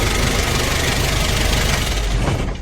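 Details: Kia K2500 4x4 diesel with AC on, after adjusting the loose AC belt at the lower pulley: even idle clatter with no squeal or chirp, then engine winds down as shut off; belt did not need replacing.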